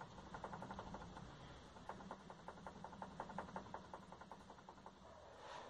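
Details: Hyundai HB20 front suspension, body rocked by hand: quiet dull knocks about three a second from a worn stabilizer link (bieleta), a noise earlier suspected to be the steering rack (caixa de direção).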